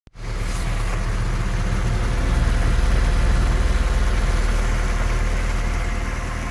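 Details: 3S-family engine fitted in a VAZ 2121 (Lada 4x4), idling after start: dull regular knock about three per second near cylinders 3 and 4, by the camshafts or lower; valve clearances, gear and cam beds already checked; top-end knock, cause unknown.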